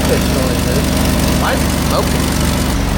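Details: 2000 Jeep Cherokee XJ 4.0 at first start after intake manifold reassembly: rough idle with faint high-pitched chirp rising every second or so, squeal source unclear; check engine light returned with codes including O2 sensor heater circuit bank 1.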